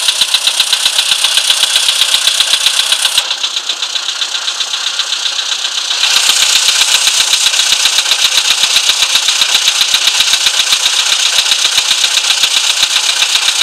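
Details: VW Polo Sedan with CFNA engine, knock when cold: sharp, even metallic ticking about four times a second, steady throughout; cause unknown.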